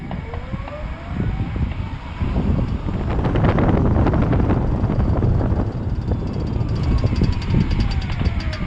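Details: Fourth-generation Toyota Prius slowing down; sharp regular clicking about four per second from the front driver's side wheel/axle over road rumble and hybrid whine. Cause not confirmed.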